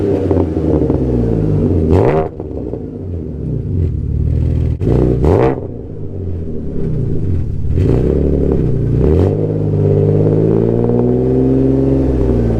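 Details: Alfa GTV 3.0 V6 first started in 18 months after refitting Wizard stainless downpipes and a Cybox stainless cat-back with no cat and largest silencer deleted. Slightly warmed. Deep, loud, slightly raspy revs through several blips, then a steady idle: runs clean and healthy.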